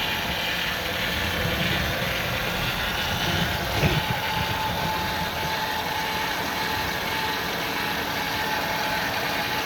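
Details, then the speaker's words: 2000 Ford Windstar SEL, 3.8 V6, 204,000 miles, rebuilt motor and heads, new EGR, DPFE, plugs: idle about 900 rpm, uneven, lumpy loping rhythm, valve cover and alternator shaking; no vacuum leaks or scope misfires found; rough idle, cause unknown. "Current idle is about 900, but you can see the valve cover, the whole thing is shaking. And then from a different angle here. You can see even the alternator here is shaking."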